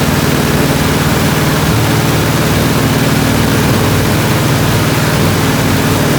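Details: 1967 IH Loadstar 1600 shop truck after carburetor gasket replacement (burnt gasket suspected of causing vacuum leak, too much air, poor idle): engine catches and settles into steady even low idle, no misses or stumbles; normal idle.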